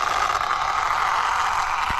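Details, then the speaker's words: Arrma Infraction 6S BLX RC car after bashing and a spin-out; a thin, steady high chirp or squeak over the motor whir, only under forward throttle; owner suspects debris in the drive shaft or gears; squeak under throttle. "Only happens when it goes forward. Probably something just got into the drive shaft or the gears in there."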